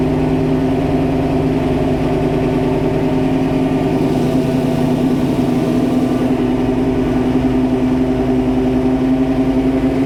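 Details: 1966 Mustang Fastback's freshly built 347 stroker V8 (T5) on first start: a steady, fairly fast idle with an even low drone and no knocks. The idle speed needs adjusting via the carb idle screws.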